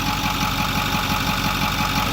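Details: 2008 Ford F250 6.4L turbo diesel after replacing failing electric diesel lift pump (P2291, died when hot) and purging air; settles into smooth even idle clatter, no misses or surging: normal idle.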